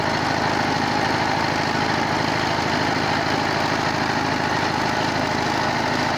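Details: 22 HP single-cylinder diesel after repair of a worn rocker arm shaft and a broken rocker bush, a head regrind for low compression and tappets set by feel: even, steady thump with no loose top-end knocking.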